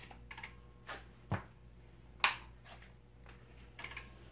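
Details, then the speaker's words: Ms. Pac-Man cocktail arcade cabinet, non-working, on power-up: sharp, uneven clicks about once a second, coin counter firing with no coins inserted, blank screen; usually a board issue. Cause suspected, not confirmed. "right, first thing I can hear is I can hear the coin counter clicking. Does everyone hear that? That's not a good sign. That's usually an issue with the board."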